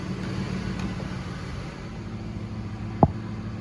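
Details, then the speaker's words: 2007 Ford F-150 5.4L 3V Triton cold idle after timing chain replacement: steady, even, with no internal ticking or knocking and good oil pressure. Two faint puffs suggest a slight exhaust leak at the manifold or donut gasket. "but as far as internal engine noise it is nice and quiet super smooth we've got really good oil pressure"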